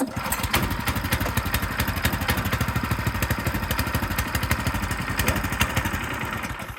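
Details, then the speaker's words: Frontier OS18 sawmill small single-cylinder engine, cold start on choke right after a blade change: uneven popping about three beats a second, hunting and rough while cold. "Uh-oh, a little cold."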